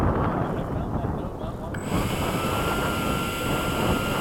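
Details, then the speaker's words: Eflite or FMS 80mm 12-blade ducted fan during field balancing, run slowly just over idle after moving the reference tape around the blades: clean, steady fan whine over wind noise with no wobble; much better, nearly balanced. "alright so go ahead and run it up it's already better that's already way better just out a little bit"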